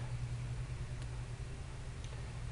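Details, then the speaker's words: John Deere 95 combine running after its first start, which took a shot of starting fluid. It has a low, steady, even rumble with no knocks or misses, alive and well, though a patched steel line is leaking. "it's alive and well and running,"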